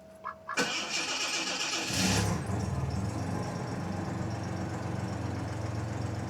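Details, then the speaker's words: 1987 Jaguar XJ6 engine after drilling repair for a common XJ6/XJ12 problem: chime, quick start, brief flare, then smooth even idle with no chatter; an exhaust leak remains. "Runs like a top. Runs like a sewing machine."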